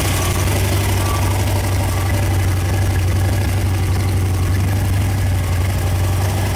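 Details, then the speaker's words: Freshly rebuilt Ford FE 390 V8 with a mild cam, for a 1964 Thunderbird, on an engine run stand, good and hot, temperature held, oil pressure about 55: deep, even rumble with an unbroken beat, no knocks or misses; smooth, healthy idle. "We got her good and hot, and she ran really smooth. That mild cam in there sounds pretty good too."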